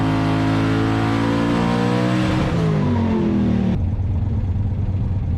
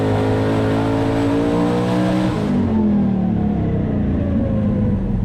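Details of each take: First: Twin-turbo 427 small-block Ford Fox-body Mustang with Holley EFI and a turbo 400, on the dyno with dome pressure turned down 4–5 psi: strong, smooth rising roar at full boost with no stutter or misfire, 1297; clean graph. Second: Twin-turbo 427 small-block Ford Fox-body Mustang with Holley EFI, 10:1, hydraulic roller, 2000cc injectors, on the dyno: a high-rpm boosted pull turns choppy and stumbling, misfiring, 1280; fresh plugs, gap to be tightened; battery voltage fell into the 12s.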